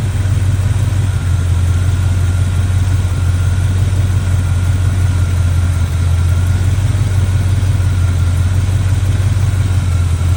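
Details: Chevy square-body barn-find truck, automatic V8 (called a 350), after timing set by ear and a distributor, carburetor and ignition tune-up, cleaned up: deep, steady idle with an even, unbroken rumble, no misses or knocks; motor running decent.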